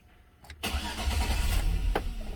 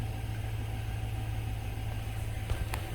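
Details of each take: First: 2006 Chevy Silverado towed in for no-start after a botched door speaker install. Fuel pump primes at key-on; starter whirs, the engine catches and runs rough for seconds, then dies. Radio and power windows are also dead; cause unknown. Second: 2006 Chevy Silverado, towed in with no start after a speaker install; running again after the missing fuse was replaced. A steady low idle rumble with an even rhythm and no knocks or misses; the engine idles smoothly.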